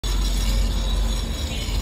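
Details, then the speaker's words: Motorcycle front disc brake, heard on the bike: a steady rough metallic scraping because the brake pad is worn down to its metal backing and the metal is grinding against the disc. "Main হচ্ছে এটার ব্রেকপ্যাড একদম লোহার সাথে যে লোহার সাথে যে ঘর্ষণ আছে যার ফলে এই শব্দটা হচ্ছে"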